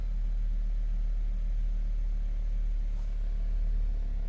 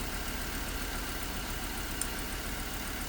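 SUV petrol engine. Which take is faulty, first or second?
second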